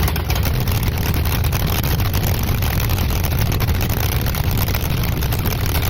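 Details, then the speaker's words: Engine whose coolant froze over winter and pushed out a core plug, restarted for a timing check with a timing gun. Heavy, loud low rumble with an uneven, lumpy beat at idle. Rough running, cause not confirmed. "But It wasn't pretty, but it started."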